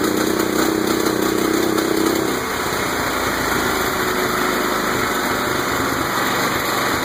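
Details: Murray lawn tractor with a Kohler CV15S engine, recently revived after sitting seven years. Above half throttle it runs fast with an irregular knocking, popping beat of about four per second; the owner is unsure whether it is knock or backfire.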